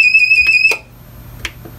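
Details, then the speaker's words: APC Back-UPS 550, lamp plugged into outlets: shrill steady beep, then relay clicks; unit alarming with bad-battery light flashing, battery suspected faulty. "so hmm interesting see it that battery is flashing on there bad battery so that would lead me to believe that it is the battery"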